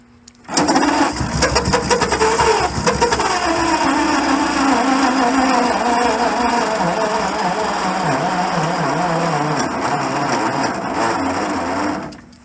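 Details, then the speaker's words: 1928 Franklin, first start after 71 years off the road, fuel preheater fitted; long starter churning with ragged uneven firing that catches briefly then stalls, won't keep running. "Stay running there a second. Huh? It stayed running for a second."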